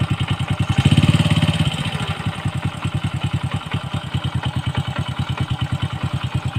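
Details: Honda Wave 100 after replacing a worn one-way bearing that caused a loud noise: brief rev blip then even steady single-cylinder putter about three and a half beats a second, no clatter; normal idle after repair.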